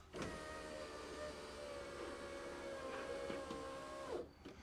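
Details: 1991 Alfa Romeo Spider passenger-side window after fitting a new Centerline motor and refitting the glass, door panel still off: a smooth, even motor whir as the glass travels, stopping cleanly with a soft thud, working properly.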